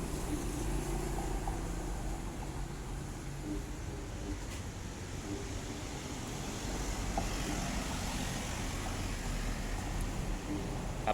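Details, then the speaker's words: Hitachi automatic washing machine after replacing its faulty motor, which had hummed without turning: on a dry spin test, a steady, even low whir with no knocks or grinding as the drum spins up smoothly. Normal spin confirms the old motor was the fault. "มอเตอร์หมุนได้ปกติแล้วนะครับก็สรุปได้เลยนะครับว่าเครื่องนี้เป็นที่ตัวมอเตอร์เสียนะครับ"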